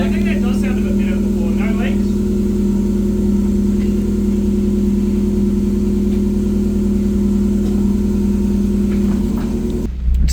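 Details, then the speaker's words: 1994 Mazda MX5 1.6 at idle with oil pressure confirmed, steady even hum with no knocks, ticks or misses; engine healthy, rocker cover gasket to be replaced. ">> It sounds healthy."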